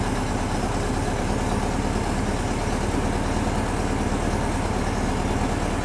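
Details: VW-based Porsche 356 Speedster kit air-cooled engine, test after remote oil filter over-pressurization repair. Oil light goes off, pressure builds to 40–50 psi, no leaks. Steady, even idle with a dense, slightly rough beat and no knocks or misses; healthy running.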